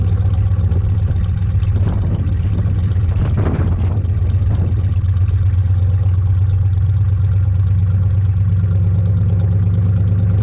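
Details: 1986 Chevy K10 carbureted truck, carb and choke recently tuned, sat about 1.5–2 months in a tarp garage, cold start at about -6°F with pedal pumped once: catches and settles into a steady, even low rumble, no misses or knocks; normal cold start and idle.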